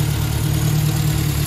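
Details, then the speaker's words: Ford Anglia engine idling at first start after fitting a Weber carburettor, new manifolds and exhaust, cooling system being burped (probably no thermostat): steady low, even idle with a smooth beat and no knocks or misses; runs cleanly. "all right we're running burping the system out uh we have exhaust everything it's all coming together"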